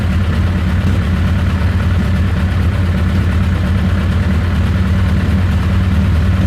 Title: Rough Idle